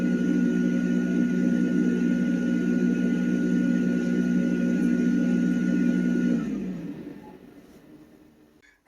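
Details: Tankless water heater: loud steady droning hum from the combustion fan that winds down smoothly when the unit shuts off; humming noise addressed in maintenance.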